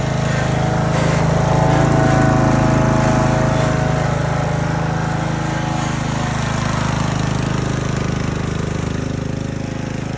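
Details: Neglected Husqvarna zero-turn mower (Z4819/Z4219), 20 hp Briggs & Stratton, milky oil, steady idle just after getting it running: light regular ticking over the thump; sounds a little ticky, valve lash adjustment planned, not yet confirmed.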